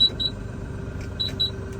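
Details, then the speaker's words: LS MT357 compact tractor, power clutch cab version, diesel idling; two pairs of short high beeps as the operator shifts, holds and releases: normal shift confirmation beeps. "So one tip to make it a little bit easier, you hear it's doing the different beeps. So basically what you want to do is when you shift, hold, shift, release,"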